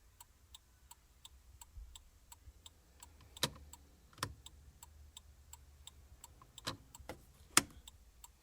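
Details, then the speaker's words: 2001 Jeep Cherokee XJ after replacing the turn signal flasher relay, key on: crisp, evenly spaced relay clicks a few times per second; turn signals working normally again. "let's see what happens hey just like that we got blinkers back"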